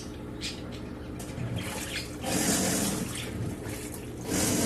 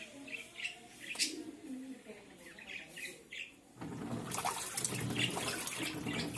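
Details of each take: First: Samsung 18 lb washing machine in wash cycle: low, rough droning hum under sloshing water; clutch lever/arm not engaging the transmission gears properly, fixed by calibrating the clutch. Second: Samsung 18 lb top-load washer in the wash cycle after clutch calibration and transmission gear maintenance: water swishes steadily with no grinding or knocking; the earlier washing noise is fixed.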